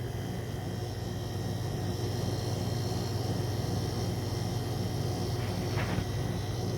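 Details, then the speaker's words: Repaired Neslab HX 75 chiller switched to cool: steady low compressor hum with a faint even pulse and a soft hiss of refrigerant flow as it cools and regulates; running normally. "you can actually hear the compressor working and refrigerant moving around"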